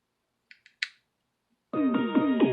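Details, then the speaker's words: Mini wireless speaker that failed after being dropped, powered on after being opened and repaired: a few soft button clicks, then clear, full piano music with no crackle or dropouts; it now plays properly. "See, now it's working."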